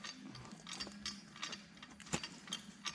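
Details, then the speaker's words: During a trail lunch stop between a diesel JK Wrangler and an XJ Cherokee, an unidentified nearby device makes irregular clicking and ratcheting bursts about once a second with a light metallic clatter; onlookers say it sounds broken but are unsure whether that is normal. "that's really creepy let's see what it's doing we're gonna have to eat these by just dumping them in our mouths I guess that sounds really hot is it supposed to do that sounds broken yeah it it does sound a little broken"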